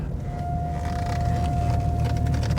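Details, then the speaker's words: 2014 Acura RDX, 212,000 miles, road test, brought in for suspected driveline noise: steady mid-pitched squeal over road rumble when the brakes are applied, sounds like dragging brakes; left front sounds steel on steel with the wear sensor squealing. "I put my foot on the brake, it's making noise. Let's roll the window down. Sounds like the left front brake is steel on steel."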